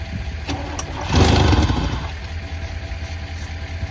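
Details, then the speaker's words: 1988 Pontiac Firebird, 2.8L GM V6, 230,000 miles, unstarted for about 13 years with old fuel still in the tank: a few labored cranks, then it catches with a loud surge into a rough, uneven idle. The starter overcame initial resistance after clicking at first. "all right guys well i'm really impressed you know i really wasn't expecting much i thought i was gonna have to put a breaker bar on the crank and that that probably wouldn't even work i didn't expect to be able to turn the engine over"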